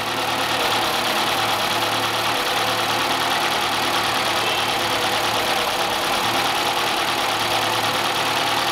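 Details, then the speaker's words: Peugeot 208, no stored fault codes on scan, just started; uneven, wavering idle that never settles though throttle response is fine; oscillations reported as it warms. Rough irregular idle, cause unknown. "Aí, ó, se vocês verem, ó, o motor ele tá bem irregular, ó. Dá uma pisada aí, ó. Olha, até responde tudo, ó. Só que vocês verem, ó, a marcha lenta dele tá bem irregular."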